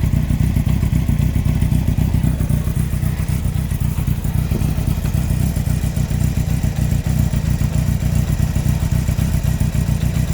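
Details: 2003 Yamaha R1 5PW inline-four, 41k miles: deep heavy clatter with irregular low thuds under the exhaust note; cylinder 4 big-end bearing failure, cam chain, valves and top end fine; owner suspects harsh downshifts.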